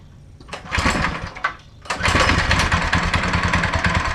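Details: Go-kart small engine after torque converter and belt installation: a couple of pull-start attempts, then catches and runs at a steady, busy idle with no knocking or grinding; works fine.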